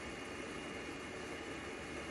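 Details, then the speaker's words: EGO 56-volt lawn mower battery charger after cooling fan replacement, battery plugged in and charging: smooth even airy whir with no rattle or scrape; the new fan runs normally, unlike the horribly noisy old one. "let's see here. That's your fan. Yeah, it's a different make than the old one, but it's exactly the same."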